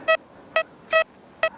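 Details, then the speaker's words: XP Deus mk1 metal detector in tracking mode over wet ground: four short, clear mid-pitched beeps, one per coil sweep, a faint but definite signal on a copper penny at 12 inches. "it's faint, but a definite signal on that uh copper penny at 12 in."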